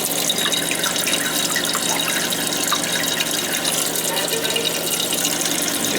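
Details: Old toilet that kept running (high water bill), after tightening loose tank bolts with wing nuts: steady hiss and rush of water filling the tank, even, no sputter or gurgle; refilling normally, meter spinner no longer turning.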